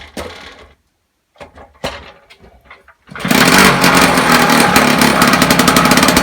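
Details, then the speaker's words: 1976 Puch Maxi moped two-stroke under restoration, previously throwing out fuel, exhaust pointed out of the shed, on choke; after handling clatter it catches and holds a fast, even buzzing idle with no stumbling; running quite well, back wind baffled. "as you can see it's running quite well now the back wind is baffled"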